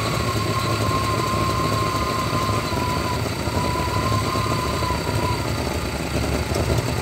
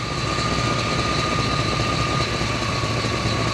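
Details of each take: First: 1993 GMC C1500 with a 5.7 V8, rough idle that lopes, surges and nearly dies; the O2 sensor is stuck rich, fuel trims pull fuel away, and the truck also cuts out under load; a bad O2 sensor is blamed. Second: 1993 GMC C1500 5.7 V8 idling with the faulty O2 sensor unplugged to force open loop: a steady, even low rumble, idling better with no surging or hunting.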